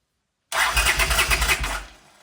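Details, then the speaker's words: 1979 Honda CX500 motorcycle, fuel to carbs: about a second of quick even starter chuffing, roughly eight pulses a second, never catching; cranks but no start. "doesn't look like the choke mechanism is fully working now if I hold it closed manually still nothing"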